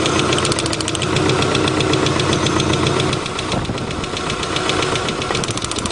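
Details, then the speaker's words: 1990 Subaru Legacy, first start after sitting two years, missing parts replaced: uneven idle with irregular ticking about four per second and lumpy beat, sounds like running on three cylinders; rough idle, cause unknown, plug wires being checked. "it sounds like it's on three cylinders for some reason doesn't sound right"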